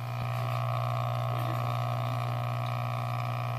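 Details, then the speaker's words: Koralia aquarium circulation pump (1150 or 1500), running underwater: a loud, steady low hum with a buzzing vibration rattle. It began suddenly after a routine cleaning and disassembly; cause not confirmed. "now it's making the most atrocious humming noise I don't know if you can hear that now"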